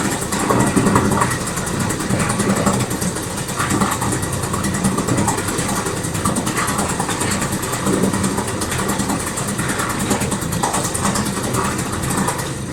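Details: Previously submerged outboard, cold start after four hours cooling following dry-out run under load, fuel on, vent open, full choke: engine catches and settles into fast, even popping idle over ten seconds without stumbling; runs normally.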